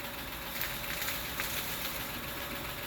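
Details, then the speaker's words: 2007 Honda Odyssey 3.5 after replacing stabilizer (sway) bar bushings for a suspension noise when turning: only a low, steady engine hum with no clunks or creaks as the wheel is worked; noise fixed. "Cero ruido. Y se siente como Más maciza, ¿no? No, pues tú crees que no, pues eso era."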